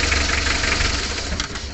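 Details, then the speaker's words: A Mitsubishi L300 diesel that runs rough, limps, vibrates and lacks power: rough, uneven idle with a lumpy beat and irregular clatter. Cylinder number four is dead from a broken rocker arm. "ada penampakan itu untuk rocker arm nya soalnya kemarin pedot ya ini putus untuk silinder nomor 4 jadi nomor 4 tidak berfungsi"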